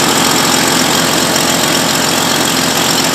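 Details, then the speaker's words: 1996 Jeep Cherokee XJ 4x4 from impound, started by jumping the starter: loud idle with a rapid sharp ticking puff at every firing; bad exhaust manifold leak. "obviously it sounds like it's got a pretty bad manifold lead"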